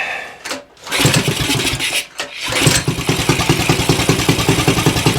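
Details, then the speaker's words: Axis M200 196cc mini bike (Coleman CT200U-EX clone), bought non-running, first start after carb cleaning, run on choke without air filter: catches after a couple of cranks, then a steady, even single-cylinder idle with a very loud exhaust bark. No fuel leaks; air leaks thought unlikely. Kill wire not working. "Engine sounds good on here. That exhaust is ridiculously loud though."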